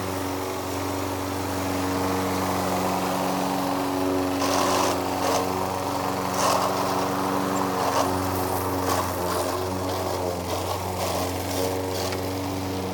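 Steady small-engine drone with rough grinding bursts breaking in as it moves through grass, pointing to a worn drive transmission.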